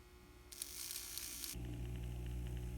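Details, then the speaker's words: N scale Atlas/Rivarossi 2-8-2 Mikado, old non-runner, first power test of the motor after checking the drive turns without binding: small motor hums steadily with a faint even gear whirr, no catching or grinding; runs smoothly in reverse. "that's good news that's going backwards very good and then forward so that's awesome superb"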